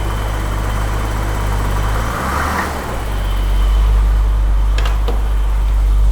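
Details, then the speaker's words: 1982 BMW E24 635 CSI, M30 3.5 L inline six, manual, first run after restoring spark and refitting fuel pump relay: deep steady idle, even low rumble, no knocks or misses; runs smoothly, though it later faltered (owner suspects fuel starvation). "okay okay it runs yes yes and it ran really smooth until it didn't anymore but until this point it was perfect"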